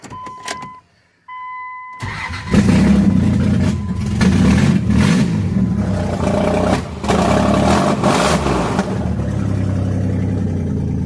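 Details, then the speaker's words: 1998 Dodge Ram after correcting distributor installation and firing order: ticking beeps, brief crank, then catches into a steady raspy idle with no stumbling; raspy kazoo-like tone from exhaust still needing repair. "I'll put the distributor in correctly, and now she fires up. She still sounds like a kazoo because I got to fix the exhaust, but she doesn't stumble on her face no more. It runs just fine."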